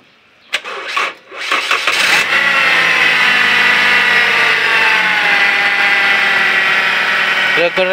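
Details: Toyota Altis gasoline engine with hard starting problem: a few short, uneven cranking bursts before catching and settling into idle; cause unknown.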